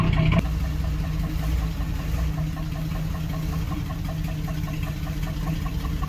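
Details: 1976 AMC Gremlin, stored 36 years, started after a front disc brake job to move it from the garage: idle with a light, quick, unevenly spaced metallic ticking knock over the rumble, louder than normal; cause unknown.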